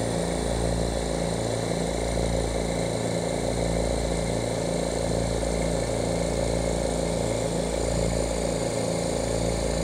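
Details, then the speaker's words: Oil-less dental air compressor after reed valve repair, awaiting intake filters, with a cracked regulator: a loud, even twin-piston pumping drone with no knock or hiss. It shuts off at about 110–115 psi and restarts near 90, and solenoid blow-off valves dump line pressure for unloaded motor starts. Normal running. "she set shuts off at about a hundred and ten hundred and fifteen psi and then kicks back on at about ninety and you heard the blow off valves basically these solenoids blow off the line pressure so that these motors could start without having any resistance"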